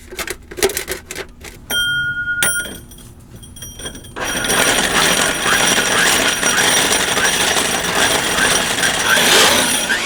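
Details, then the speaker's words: Drill grinding a cinder block wall flat for a dryer vent: hard grinding, then a quick ratcheting tick as the bit binds and the safety clutch disengages to protect the user's arm. "Nice feature. Did you hear that disengage? That's so it doesn't take your arm off."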